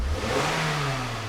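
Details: 2007 Scion tC towed in with a no-crank complaint, now running after repairs with codes cleared and no check engine light: engine picks up cleanly from idle, revs smoothly and settles back without stumble or misfire; normal rev response.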